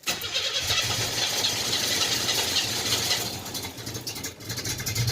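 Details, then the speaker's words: 1987 Chevrolet Celebrity Eurosport 2.8 V6, 237k miles, cold start before MagnaFlow catalytic converter install: engine catches, then idle sags and hiccups unevenly, a rough stumble; fuel smell at exhaust, no milkiness or coolant loss, then runs fine. "So here's before. Okay, so it's not wanting to run right today."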